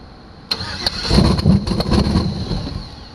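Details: 2006 GMC bought as a non-runner, with the starter reconnected and no air filter fitted. A brief crank, then it catches raggedly and dies within two seconds. It fires but won't keep running, and the owner suspects an anti-theft issue, which is unconfirmed.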